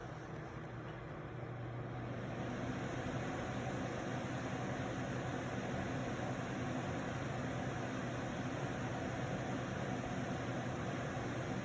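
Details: Arctic King 8,000 BTU window air conditioner running: steady fan rush over constant low electrical buzz from the compressor; owner unsure if defective or mishandled.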